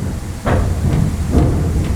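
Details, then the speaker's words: Mopar (Dodge) after a steering column and dash rebuild, steering turned in the shop: two dull, low thuds. Owner suspects a worn idler arm on one side that lifts about half an inch and needs replacing. Steering linkage clunk. "The idler arm on that side. You know, you got two idler arms on here. One over here, one on that side. That one actually lifts up about 1/2 of an inch. So that's definitely a part we're going to have to trade out."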